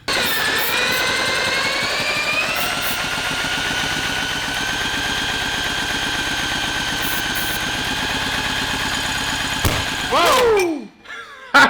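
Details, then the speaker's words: Junkyard go-kart with Tecumseh 6.5 hp single-cylinder engine and replacement carburetor, cranking: spins fast and uneven with soft weak pulses and little resistance; low compression, a valve seen stuck, valve adjustment to be checked. "i don't think she's got much compression i mean but she'll probably run right maybe we ought to take the valve cover off and check valve adjustment"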